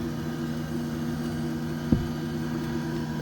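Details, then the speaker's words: Camper van diesel heater's antifreeze circulation pump, on the coolant hose, running with vibration felt by hand: steady even low hum, one brief handling bump; normal operation. "네, 돌고 있어요. 딱 만져보면 진동이 쭉 옵니다."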